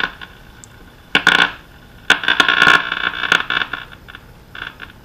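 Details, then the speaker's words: Irregular bursts of harsh crackle and scratching on an early-1930s Silvertone Companion 57 D 1704 radio at first power-up after recapping, near 125 V line; owner suspects the antenna lead, noise persists faintly when disconnected, not confirmed. "definitely got some kind of no one says for sure and I think I'm getting that from my antenna lead itself cuz you can hear when I disconnected I can still faintly"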